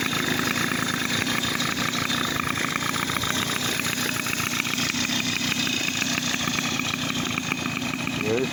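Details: 2002 Tomos Sprint two-stroke moped with new Parmakit CDI and parts installed, jet size not yet correct. Fast, buzzy putter holding a fairly even idle without stalling or misfiring; starts and runs normally.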